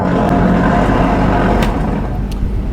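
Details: Electrolux tumble dryer: constant rough grinding drone with a faint steady whine over the drum's rumble, no let-up; worn drum bearing, fixed by replacing it.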